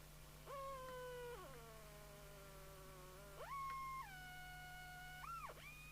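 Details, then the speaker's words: Jesan KT2002 UK CB27/81 CB radio, signal generator at 27.79125 MHz, 10.695 MHz: musical whistle slides in pitch as receive mixer crystal is trimmed to null it; heterodyne beat from misaligned receive mixer crystal. "actually we can hear it better if i hold that see whether we can null the musical note here we go"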